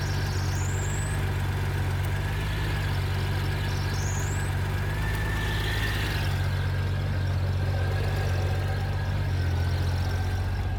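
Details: 1997 Honda GL1500 SE, 56K miles, idling with a soft wind-like whoosh when the clutch is fully released, high whine at slight lever pull, gone at ~4%; clutch fluid low, cause was a junk-filled slave cylinder, cleaned and bled.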